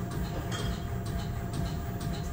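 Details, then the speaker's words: Front Bilstein DampTronic Sky adaptive damper from a Mercedes-Benz S-Coupé C217 4Matic with AMG air suspension, on a test rig after repair for knocking: regular even thumps about twice a second with faint hum; smooth strokes, symmetric working diagram. "Final test after the repair to observe the symmetric working diagram at different load speeds A little while ago, we explained you how the working diagram shows there is a problem with the shock absorber, and now, from it we can see that everything is perfect"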